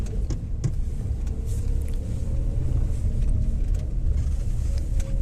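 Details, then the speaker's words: Maruti Suzuki Alto 800 after axle repair, which had vibrated and rattled pulling away in first and reverse: steady low road rumble with an even engine note while driving, no knocks or rattles; normal driving, fault fixed. "अभ गाड़ी चला के देखते हैं आवाज आ रहा है कि नहीं आ रहा है अभी नहीं आ रहा वो पहले एकदम एकदम ज्यादा वाइब्रेशन आता था अंदर बॉडी में अभी फील नहीं हो रहा"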